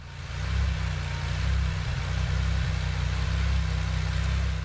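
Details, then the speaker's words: Aston Martin DB7 V12 being checked for high gauge temperature at idle and low speed, at partial load: low rumble with uneven lumpy pulse about once a second; owner suspects misfire at this speed, unconfirmed. "I don't know if you can hear it well enough but by ear at partial load it seems pretty obvious to me that the engine is misfiring at this speed"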